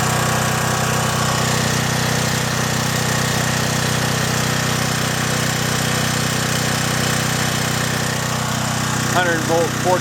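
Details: John Deere/Briggs and Stratton generator, repaired (gummed carburetor cleaned, rotted fuel lines replaced), no load while checking about 114 V per leg: constant-speed, unwavering drone with no surging or misfire; runs smoothly.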